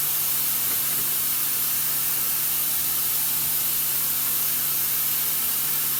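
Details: MCI MC5 bus with new nylon DOT air lines, filling air and releasing the parking brake: steady loud hiss of escaping air over a faint compressor hum; compressed air leak, exact location not yet found.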